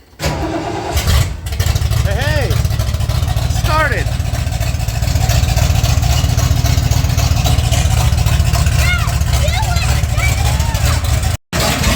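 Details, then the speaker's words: Ford Bronco, former race truck under rebuild: short crank, then catches into a lumpy, uneven idle sounding rich and loading up a little; cause not confirmed. "sounds like it's loading up a little yeah"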